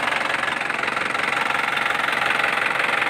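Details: Isuzu Panther LS 2008 diesel; even, regular clatter around two and a half beats a second, no skips or odd knocks; normal healthy idle.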